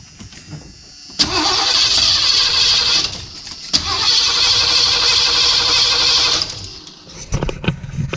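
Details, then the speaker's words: 1978 Ford E150 van engine with better-cranking starter: two strong, even three-second cranking bursts with a brisk beat but never catches; motor sounds good, not getting fuel. "yeah it's not getting fuel motor sounds good though"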